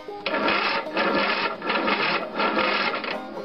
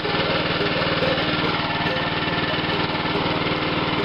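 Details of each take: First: Long-sitting free riding lawn mower on a big battery plus charger, clutch-brake pedal pressed: heavy, labored starter chugs, about four slow turns in three seconds, never catches; slow, weak, draggy cranking. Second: Abandoned lawn mower, long sitting, cylinder lubricated with ATF through plug hole, weak cranking on battery charger: small single-cylinder engine chugging at a fairly even pace with slight unevenness; brought back to life and running.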